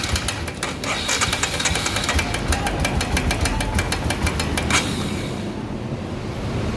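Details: Royal Enfield Himalayan: light quick tick-tick around three per second over the single-cylinder idle, then fades; top-end tick, source not yet identified.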